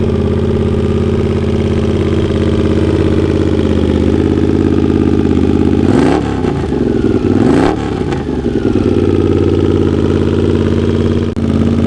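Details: Honda GL650 at its first start after a full rewire: steady V-twin idle, two quick throttle blips rise and settle cleanly back to smooth idle. Crossover headers run into a merge and Cone Engineering muffler. Normal idle.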